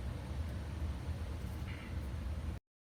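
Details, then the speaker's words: Pioneer CLD-53 Elite laserdisc player tray loading mechanism during cleaning, before re-greasing: low rough rumble and uneven gritty whirr because the tray gears and rails have no grease. "there's probably a couple more spots I can hit you know why it sounds like that cuz there's no grease"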